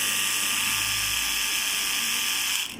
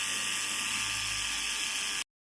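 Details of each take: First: Hair trimmer that won't cut hair: high buzzing motor with harsh ratchety chatter, then switches off; the cutting blade has worked loose. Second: Small hair trimmer after repair of a loose blade that had made noise and failed to cut hair: steady bright high buzz for two seconds then cuts out, running smoothly and healthy.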